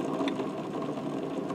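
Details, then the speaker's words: Engine lathe headstock during teardown, counter shaft turned: a steady gritty grinding rasp from a bad bearing; the rear bearing is pitted and corroded. "I don't if you can hear that pretty nasty so this counter shaft we talked about this one before that one's definitely got a bad bearing too"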